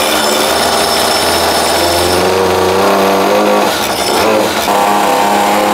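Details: Peugeot 103 moped, tuned two-stroke with new resonance exhaust, tuned for mountain use: loud high buzzing wail holding and climbing smoothly at full revs under load; pulls cleanly and healthy.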